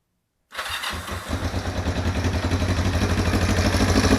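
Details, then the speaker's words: Project motorcycle being converted to a bobber, restarted with the choke pumped slightly. A quick, light tick of about three per second over a poor idle that tends to die and later rises; suspected valve-train tick, unconfirmed. "so what I've learned well actually let's fire it back up one more time so you can hear the valve tick let's pump the choke up just a little bit"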